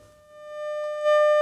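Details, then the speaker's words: Sony CRF-320 32-band receiver under restoration, audio amplifier fed a signal at the auxiliary input into a workshop speaker: steady, clean tone near 600 Hz with no hum, crackle or distortion as it gets louder; very sensitive, good tone. "I think that probably sounds like 50 m my ears aren't a power meter but this thing is very sensitive I'm getting a very very good tone there"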